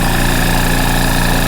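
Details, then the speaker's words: Rolair JC10 Plus compressor after switch install: loud steady motor drone with even low pulsing; powers up fine but not building pressure. "So you want the good news or bad news? The good news is it obviously turns on. There's no powering up problems, it's all fine there."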